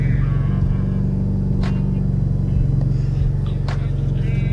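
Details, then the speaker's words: Mitsubishi Evo X turbo petrol after new coil packs fixed a misfire, check-engine light not yet reset: a steady, even low idle hum with no hiccups; smooth idle. "but so far it's driving pretty nice no hiccups uh everything my uh airf ratio seems to be reading a a lot better too it's not so bouncy"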